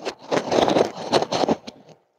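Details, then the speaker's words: Upstairs tub draining through plastic waste pipe before Acoustidrain wrap was fitted: irregular loud gushing and gurgling carries along the horizontal and vertical runs. Loud drain pipe noise. "hopefully you can hear that the it's pretty loud and actually goes all the way along the pipe even though even the horizontals and then the verticals are are quite bad as well"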